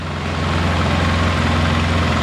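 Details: Polaris Sportsman 700 ATV idling warm after a head gasket replacement and radiator swap; thermostat open, coolant circulating, not overheating. Steady, even low rumble with a smooth idle beat, no knocks or misses; clean, healthy idle.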